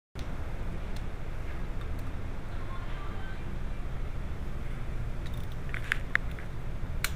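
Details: Idling engine with a steady low rumble and an uneven, stumbling beat about once a second: cylinder 2 misfire caused by a stuck-open injector; engine has no fuel pressure regulator on the rail.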